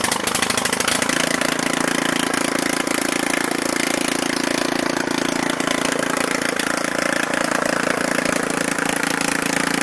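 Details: Neglected Briggs and Stratton 13.5hp Intek engine, first start after fitting a used carburetor, adjusting valves and reinstalling shrouds and wiring: after a second of cranking it catches and runs evenly with no knocks or misses; normal running.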